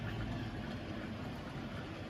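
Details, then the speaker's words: Tri-ang Super 4 layout test run of a Wrenn W2230 Bo-Bo Class 20 model loco after refurbishment: steady, even low motor hum with no catches, knocks or surges; running smoothly. "So it's just going along beautifully. They're excellent models."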